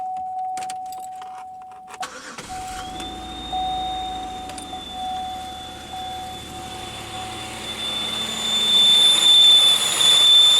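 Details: 2001 Pontiac Aztek GT after reassembly, belts refitted: engine running with a thin, steady high-pitched whistle/scream that holds pitch and grows louder; source not yet found, not the suspected belt-area part.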